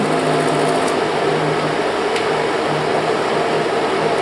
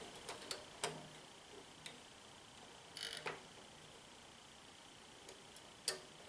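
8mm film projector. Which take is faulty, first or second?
second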